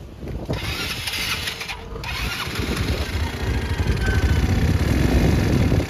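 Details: 2019 Yamaha Mio Sporty scooter after fixing no compression caused by a valve not holding pressure (spark plug thread possibly stripped): catches right away, steady even idle with no misses or ticking; engine healthy.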